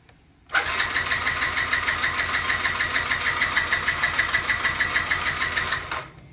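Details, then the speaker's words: 2007 Yamaha C3 50cc scooter (XF50W), long stored, new fuel tank and pump, fresh fuel added: steady starter whirring about three cranks a second for five seconds, fuel pump heard, engine never catches; crank-no-start, fuel delivery suspected, unconfirmed. "Still no. I don't know how long I can crank on this battery before I run the battery out."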